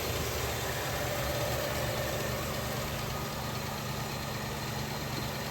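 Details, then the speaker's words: Barn-find 1967 Chevelle Malibu V8, revived after 35 years, idle adjusted up after idling too low: steady, even idle with a soft regular lope, no knocks, and valve train not clattery. Residue is burning off the headers and valve covers; normal idle. "But listen to this thing. Sounds pretty sick. Some stuff's burning off the headers and the valve covers still from working on it all day, but the valve train doesn't seem that clattery. It's idling fine."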